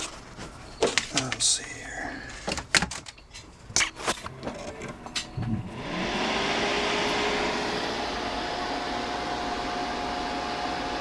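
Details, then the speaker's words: Dell Dimension C521 desktop on a power-up test with PC2-3200 RAM fitted. A few handling clicks, then the fans spin up and stay at full speed with no POST. The CPU never gets warm, and the motherboard appears to be bad. "doesn't look like it fans running full speed that's usually a Telltale sign that there's a motherboard problem or a ram problem"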